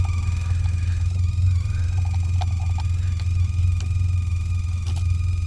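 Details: Sea Ray 19 boat with engine running: steady low drone hum with faint thin tones through the speakers, suspected amp back-feed, possibly amp output or corroded amp controls; cause not confirmed.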